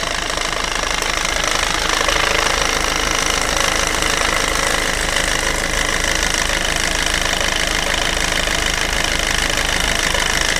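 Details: Peugeot/Citroën 1.6 HDi FAP diesel at idle: steady, fairly even tapping knock about two or three per second over the diesel clatter; owner unsure whether abnormal, cause unclear.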